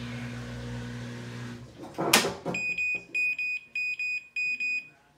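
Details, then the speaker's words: Whirlpool Duet washer after drain pump repair for F21 error, drum now draining: after a clunk a clear high beep repeats in short pairs then stops; normal end-of-cycle chime, no F21. "dingdong no f21 so we are good to go"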